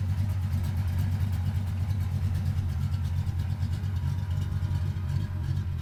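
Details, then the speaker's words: 1983 Ford Fox-body notchback coupe 5.0 V8, cold start with a gas pump: low, lumpy, loping idle about three pulses a second; owner blames the non-vacuum-advance distributor for poor cold running, says it idles fine once warm. "Because of the non-vacuum advanced distributor, it doesn't run amazing when it's cold. Now it'll idle good once it gets warm, but right now it's pretty cold, so we'll see."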